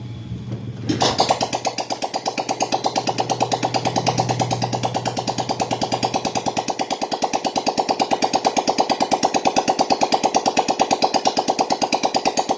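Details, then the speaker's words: Yamaha Jupiter Z1 / Vega ZR after repair of scored bore, piston and worn valve stems, idling with exhaust removed to check for smoke: steady, even open-port beat about three pops a second, no misses; runs healthy. "Jadi untuk memastikan motor ini benar-benar tidak makan oli lagi atau ngebul asapnya, itu teman-teman cukup hidupkan dalam keadaan knalpot terbuka ini dalam durasi 5 menit ya teman-teman."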